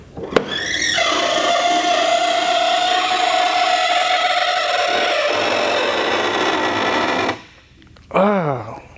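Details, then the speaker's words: Audi R8, front hood (frunk) lid opening: loud steady high-pitched screech about six seconds then falling squawk; worn-out, blown hood gas struts. "It sounds like an alien screeching. Maybe there's an alien secretly hidden in here, who knows? But I do know that these struts here are blown out and they're making that terrible noise."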